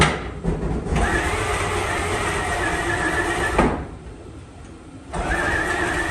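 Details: 1954 Fargo half-ton flathead six, first startup after piston ring install and valve adjustment: cranks, catches, settles into an even run, dips, then picks up cleanly again, healthy after the rebuild. Carb float overflowing; slight smoke from manifold oil.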